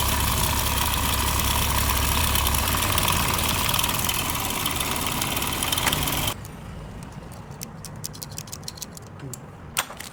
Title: Bike engine noise problem solved ￼ 💯✅ #Shorts#BikeRepair#MechanicLife#DesiMechanic#MotorcycleTips